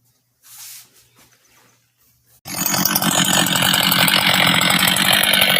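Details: Husqvarna 385 two-stroke chainsaw, first start after rebuild: quiet pause, then fires and settles to steady even buzzing idle without stumbling; normal idle, starts and restarts easily, good throttle response.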